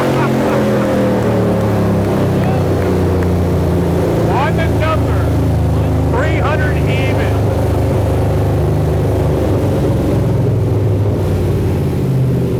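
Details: Built all-aluminum 5.3 L LS Chevrolet V8, bound for a 1999 Porsche 911 swap, on the dyno for the final full-throttle pull: loud, even drone under full load with no misfire or knock; made 299.8 wheel horsepower.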